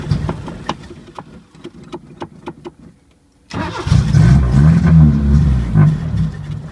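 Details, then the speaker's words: 1980 Chevy LUV that sat for years, no muffler, vacuum line plugged: uneven loping exhaust pulses stumbling before loud ragged revs; runs rough, won't settle to idle, owner suspects air leak or dirty carburetor. "well i think the only way we're gonna get it to run a little better is maybe take the top off the carburetor"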